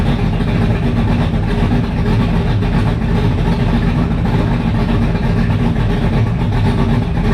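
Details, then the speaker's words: 1985 Mustang GT Fox Body with fresh 347 stroker V8, carburetor, open headers, first fire; deep steady lopey idle, even beat, no ticks, knocks or misses; sounds healthy, normal idle. "Other than that, man, it idles. It sounds pretty damn healthy."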